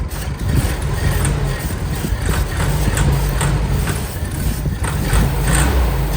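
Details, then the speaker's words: All-original 1959 VW Beetle, air-cooled, started after repairing the carburetor diaphragm, running off a gas bottle: low steady putter with slight lope, no misses or knocks; normal idle. "we're gonna try to start the bug now that I had fixed the diaphragm on the carburetor"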